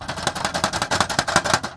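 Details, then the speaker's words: 2021 Tesla Model 3 driving over bumps: quick bursts of hard, tinny plastic clatter from loose aero wheel covers whose inner retaining tabs were found broken off on all four covers. "today I'm investigating a rattling sound when I go over bumps here's what it sounds like now you probably know already from the title of this video that the sound is coming from these loose arrow"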